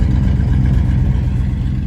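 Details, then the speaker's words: Vintage RV big V8 converted to throttle body fuel injection, heard at the tailpipe with some smoke, air-fuel ratio not yet tuned: deep, steady, even burble with no knocks or misses. "This motor does run pretty good."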